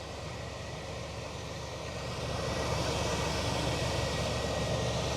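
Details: 1997 GMC Safari 4.3 Vortec after replacing melted fuel pump connector that caused crank-no-start: engine catches and settles into a steady, even idle, smooth low rumble, no misses or knocks.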